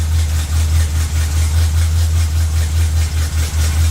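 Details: Chevy truck after transmission install and fluid fill, shifted through reverse and neutral: even low idle, no clunk, slip or whine; transmission engaging fine.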